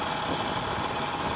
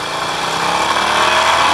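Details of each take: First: Harley-Davidson Nightster 1200, normal everyday acceleration: an even, steady V-twin drone with no rattle or tapping. The rattle only appears with sudden aggressive throttle and is less audible in first gear. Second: Harley-Davidson Nightster 1200 ridden warm, full open throttle: a metallic rattle comes through the exhaust roar as revs climb. Absent in regular acceleration, occurs every ride, and the cause is still unresolved after four dealer visits.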